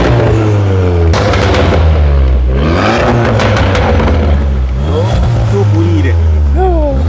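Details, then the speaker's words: Car with full stage 2 (exhaust, downpipe, intake, DV, stage 2 mapping) after install, exhaust valve-open sound check: loud deep exhaust note rising and falling cleanly through several blips, no rattle or hiss; healthy tuned turbo engine. "Tak sabar dengan sound check. So ni bunyi valve tertutup. Kalau bunyi valve terbuka dia macam ni ya."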